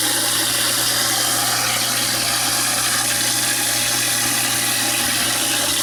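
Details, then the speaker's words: InSinkErator garbage disposal after repairing a hum, no-start fault: steady motor hum with rushing water and light even chatter of scraps being chewed; nice and quiet, normal operation. "Okay. Turn on the disposal and watch it devour some shreds."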